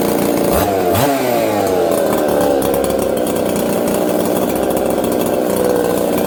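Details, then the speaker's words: Husqvarna 266XP chainsaw after fitting a carburetor taken from a 385, stone-cold start: fires, revs briefly, then settles into a steady, even idle with no hunting or stalling and runs properly. "hey okay listen how it just settles down idle and goes about his business"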